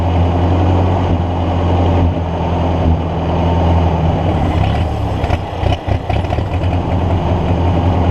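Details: Ford NAA Golden Jubilee tractor (1953/1954) sat over 20 years, spark restored after bad battery connection fix: steady low idle that keeps going only while fuel is poured into the intake; owner suspects clogged fuel line, carburetor then removed.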